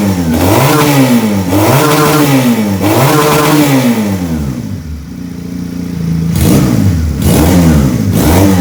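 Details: Benelli PE 250 FI with its faulty MAP sensor replaced by a Suzuki Futura MAP sensor (ECU pin 2, vacuum hose connected): picks up cleanly on each blip, rises and falls smoothly through quick revs, returns to steady idle without stalling.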